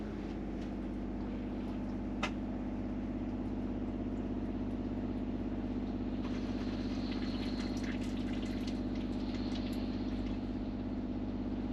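A steady low hum with a fine rapid buzz that holds an even pitch: the 12-volt pump is drumming through its mounting.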